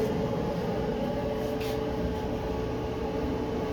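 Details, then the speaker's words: Maytag electric front-loading dryer after repair: drum turns with smooth steady hum and faint constant tone, no thumping, squeaking or scraping; normal running. "And that's what got rid of our noise."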